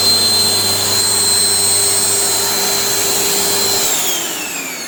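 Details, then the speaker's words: Panasonic MC-CJ911 (Made in Japan) vacuum cleaner after repair: original 2100W motor with worn carbon brushes and broken bearing replaced by new 2000W motor; smooth steady high whine, no grinding or rattle, pitch dropping at switch-off; noise and smell gone. "giờ không còn tiếng ồn và mùi hôi nữa , giờ nó hoạt động tốt."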